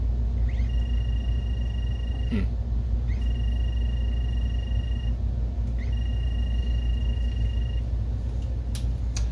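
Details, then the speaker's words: Optoma HD27 DLP projector: a thin whine rises and holds for about two seconds, then cuts out and repeats over a low hum as the color wheel motor fails to start. The intermittent 12V supply was traced to a bad P-channel MOSFET. "that noise you're hearing was the color wheel trying to fire so it was trying to run that means we have an intermittent power supply fault"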